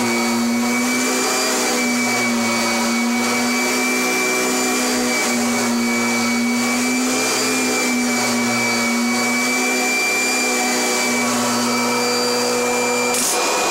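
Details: Kirby Generation 4 (1995) or G10 Sentria (2011) upright vacuum: a steady high motor whine at constant pitch, no knocks or rattles; normal running.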